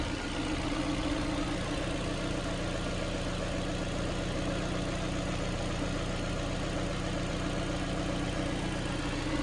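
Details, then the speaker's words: Ford Fiesta Titanium automatic: a steady, even idle with a smooth low hum and no knocks or misses. Running nicely and normally. "I want to, you know, I'll just quickly start it to show you. Really running nice."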